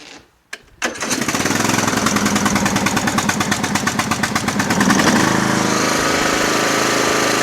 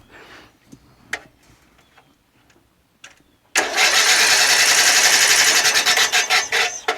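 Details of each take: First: Lawn tractor, started before sale: cranks briefly, catches and settles into quick, steady putter with no misses or knocks; normal running. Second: Murray Select 12.5HP 40" lawn tractor engine cranking after spark plug gap fixed: fast even cranking at about four beats a second that never catches, puffs of air out the front, no spark and no compression.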